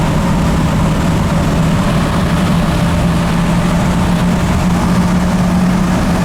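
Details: Ford F250 7.3 Powerstroke diesel, 100 hp performance tune, driving at about 15 psi boost: deep, steady drone pulling evenly under load, crisper and smoother, no knocks or misses; normal running.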